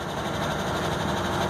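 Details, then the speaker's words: Truck engine idling, heard from inside the cab, with an exhaust issue: light quick ticking over the rumble, more audible with high idle off; owner later tries about a pint of ATF in the oil to cure the tick. "there's a little bit of an engine tick and I don't know if you guys can hear it or not from inside the cab I'm going to take the high idle off and hear how it sounds all right now you can hear much more of that tick"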